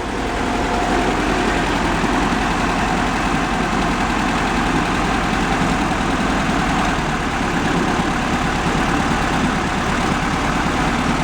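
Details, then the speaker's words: 1971 VW Beetle convertible at idle after warm-up, carb tweaked to idle lower: low, lumpy idle with an uneven beat; the front cylinder seems weak though it sparks and sounds fine revved; valve adjustment next. "Although it doesn't sound bad when you rev it up. It does spark. So, that's what I'm seeing right now. I see an issue with that cylinder being weak."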